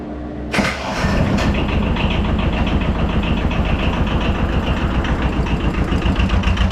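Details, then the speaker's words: 2007 Arctic Cat 700 diesel ATV, after fuel filter replacement and priming: waits for the glow plug light, cranks briefly, catches, then settles to a steady, even diesel idle; normal start. "let's turn it on we're going to wait for the glow plug light to turn off and then hopefully it's going to start"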